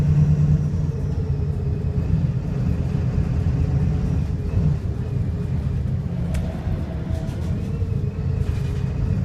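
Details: Arriva North West VDL SB200 (Pulsar) bus with Voith gearbox, under way: heavy low diesel drone with an uneven, lumpy beat, engine misfiring and sounding unhealthy.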